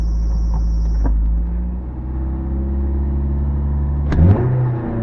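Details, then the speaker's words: 1985 Toyota MR2 after a cylinder misfire fix, accelerating hard with idle still slightly high. Steady hum rising cleanly in pitch with no hesitation or missing beats. Smooth-running engine. "that's way better and you don't hear the the kind of uh hesitation or misfire I guess the sound is"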